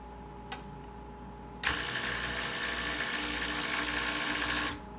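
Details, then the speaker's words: Breville 800ESXL espresso machine after replacing the sputtering ULKA EFP5 120 V 52 W vibratory pump: steady strong buzzing hum for about three seconds, starting and stopping cleanly; healthy new pump. "So as we turn this on here, beautiful. That's the noise that I'm looking for."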